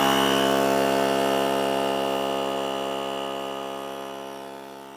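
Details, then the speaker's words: Fortem portable tire inflator compressor starting to fill a tire from 0 PSI to 35 PSI: steady high-pitched mechanical hum with fast even pulse near four per second, quieter than a full-size compressor; normal running. "It does kick on. It sounds like a compressor. It's not as loud as my other air compressor, but it's got some noise, but it's not too loud."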